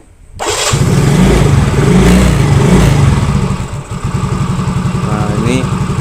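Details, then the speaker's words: Yamaha Mio Soul GT injection scooter, idle adjustment after stalling complaint, fuel pressure about 40 PSI: starts, revs briefly, then steady even idle with no hunting or stalling; idle setting now correct, standard. "sebenarnya sih udah pas ya udah pas atau ya standar"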